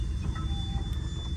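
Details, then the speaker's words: 1958 Buick Special idling after sitting two years: a thin, steady high whine over the low rumble from a leaking vacuum seal in the power brake booster, which stops when the brakes are pressed. Power brake booster vacuum leak whine. "That whine you hear, I don't know if you can hear it on the video, is the power brakes."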